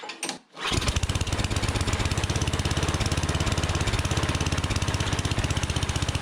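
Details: Unmaintained Troy-Bilt Storm 7524 snowblower that wouldn't run on gas: after a brief crank it catches on starting fluid and runs at a steady rapid chug, confirming a fuel issue; carburetor to be cleaned.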